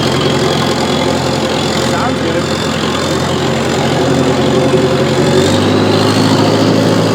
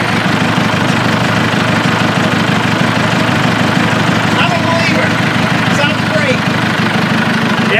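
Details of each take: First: Old bulldozer diesel idling: lumpy, uneven beat with a regular stumble, running on three cylinders, lacking power in first gear pushing a pile; dead cylinder misfire. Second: Old bulldozer restarted after a short cool-down during pond cleanout work: a loud, steady diesel chug of about three pulses a second, even with no misses or knocks; it idles smoothly.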